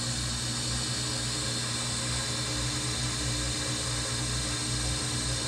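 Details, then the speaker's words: Whirlpool Duet washer after cleaning clogged drain pump filter for F21 code: steady even whir and hum, no knocking or grinding; drum spins and drain pump runs normally, earlier burnt rubber smell from struggling pump now gone. "when our pump is working you see actual resistance conversations coming up Buster son there's no smell anymore"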